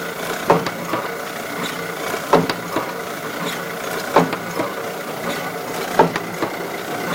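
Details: Kluge 14x22 die-cutting and foiling press running with a steady hum and a sharp, wooden-sounding knock about every two seconds, once per cutting stroke; periodic knock during cutting, cause unclear.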